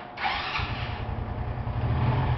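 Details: Honda Biz 125 motorcycle after repair, with the three worn pins welded to cure a noise when accelerating from a cold start; short start then a steady low putter settling into an even idle, no knocking or rattle.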